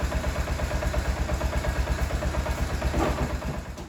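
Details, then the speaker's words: Old 2003–2004 motorbike idling after oil change, revs raised a bit: light steady rattle on each beat, about three a second, from slightly worn dogs on the clutch basket; clutch basket rattle. "You hear that little rattle in it? It's the dogs on the clutch basket. It's just a bit of wear, you know."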